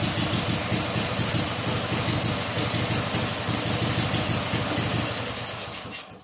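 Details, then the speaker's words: Vintage two-stroke snowblower, first start, choke being eased off: small engine popping along at about three beats a second, even and clean, then dying away; normal idle. "I can work with that all right that doesn't even sound too bad no kidding"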